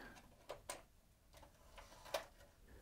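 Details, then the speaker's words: Sony MiniDisc deck with working mechanism transplanted from the other machine: soft clicks and whirs as the disc loads and is read as blank; mechanism works normally, display very dim. "well it has read the disc and you can probably just about make out there that it says blank dis"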